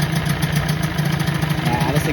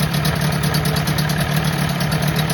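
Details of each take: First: 1984 Johnson 25 HP two-stroke outboard, just after first start with lanyard cut-off and kill switch removed: steady, low, even idle burble with regular firing pulses, no stumbling; healthy idle. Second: 1984 Johnson 25 HP two-stroke outboard, pumping water: steady buzzy run with occasional slight stumbles on throttle; owner suspects carburetor float bowl, carb to be gone through, unconfirmed.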